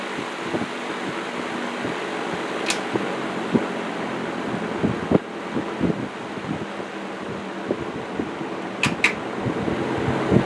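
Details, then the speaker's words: Old table fan motor after oiling: soft steady air rush over faint even hum, no grinding or squeal, far quieter than before; still has axial play needing thrust washers. Normal running. "Oh man, even without them, it's so much quieter. Wow. So, just oiling it made all the difference there. Cool. It's quiet, but man, does it throw a lot of air."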